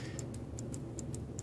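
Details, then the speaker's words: Verge fusee watch movement just reassembled and started: ticks fall in uneven pairs, a short gap then a long gap, about five per second; the balance is off-centre, so the watch is out of beat. "So now there's enough energy and it's starting to go. But I can hear it's not ticking right."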